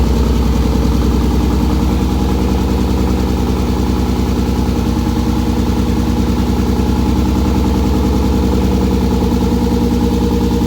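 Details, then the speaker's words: Gramps, a turbo sleeper Ford F150 with a cammed V6 (CX Racing T76 turbo kit), cold in a garage at about 50 degrees: loud, lumpy, choppy idle held high while cold; it idles down when warm. Normal. "You should hear it when it gets warm because then it idles down. It's just, she was idling kind of high because it's cold in here."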